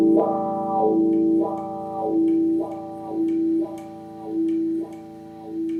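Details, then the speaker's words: Second-hand wah pedal after spraying and cleaning the scratchy pot: clean guitar notes with smooth wah sweeps about once a second, no scratch or crackle; the pot now works properly. "So there you go, it works perfectly now. We don't get that scratchiness that we did earlier."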